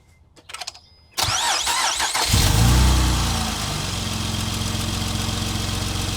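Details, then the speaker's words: 2008 Acura TL Type-S (J-series V6) start, as on every start: brief cranking, then it fires, flares and settles into an uneven, lumpy idle. Misfire caused by a piston ring land problem; piston replacement. "there's a few reasons why that happens it would be a little compression a bad piston ring or something going on with your heads"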